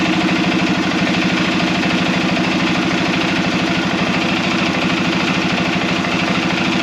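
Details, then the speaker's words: Arctic Cat Prowler engine rebuilt with new parts, restarted to bleed coolant air, still warming up: smooth, even putter at steady idle, no misses, knocks or surging; runs well, heat cycling to follow. "Well guys, there you have it. She runs. Been a long time coming, hasn't it? So we still got a lot to do on this thing, and I'm pretty happy with the way this is running right now."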